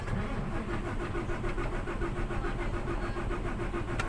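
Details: Fuso Super Great 6M70 truck diesel with low power cranks with an even, fairly quick churning rhythm but never catches and runs on its own: hard starting, cause suspected, not confirmed.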